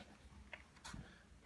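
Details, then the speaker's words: Carver PM-1200 amplifier sold for parts or repair, goes into protection at power-on with solid red protection light and fans not running: two sharp clicks over a low hum from inside, with LEDs lighting as it clicks; cause unknown. "there is a clicking coming from inside of the unit"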